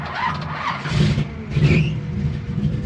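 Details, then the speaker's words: 1957 Chevy 210 barn-find hot rod, restarted after sitting about half an hour on a 600-mile drive home; it had been hard to start. It catches quickly, revs cleanly and settles into a steady, better idle. Finding: normal start. "Okay, it made a liar out of me. Started right up. I don't know. I got nothing. It has not been starting up that easy."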